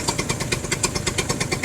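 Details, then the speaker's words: Two-stroke scooter after a rev: fast, even popping that stays above normal idle and only slowly creeps back down; it idles high for a while after revving. "It seems like it's creeping its way back down now. Yeah, see, it just creeped back down."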